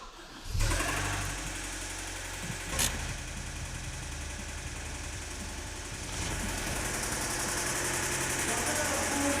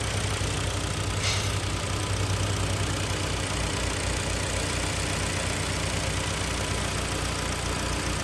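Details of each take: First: 2010 Hyundai ix35 (G4KD engine, FWD, manual, about 252,000 km), warm from a heated garage, before repair, oil rarely changed. Harsh, fast metallic knock at idle, about four beats a second. Spun rod bearings suspected. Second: 2010 Hyundai ix35 (AX35), front-drive, G4KD engine, manual gearbox, after repair of scored cylinders and spun bearings, fresh oil and antifreeze: an even, steady idle with a smooth low hum and no knocking or ticking while warming up.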